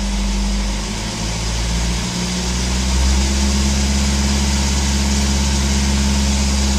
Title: Bruit moteur N47 sur 118d 2007/07, 151000 km